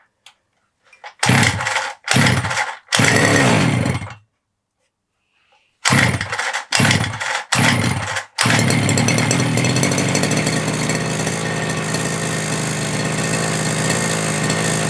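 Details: FG Marder petrol RC car two-stroke after front end repair and brake/throttle linkage adjustment, primed, started without choke: short pull-start bursts then steady even buzz, no misfire; running fine.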